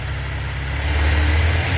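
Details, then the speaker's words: 1996 Suzuki GSX-R 750 SRAD, carbureted, previously a no-start, after the fuel pump was reconnected and the high idle adjuster turned down: a deep, steady engine hum holding an even idle without stumbling or surging. Normal idle. "So I've just turned that down. Get in, but there you go, running."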